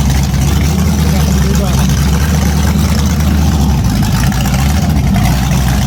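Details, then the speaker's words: A freshly started 010 350 Chev small-block V8 on an engine stand for an HQ sedan rebuild. Deep, steady burble firing evenly with no misses or knocks. The carby runs well; normal idle. "Wow, that's bloody perfect. Very happy with that. Very happy. The carby even sounds like it runs well, even though we'll clean it up a little bit on the outside."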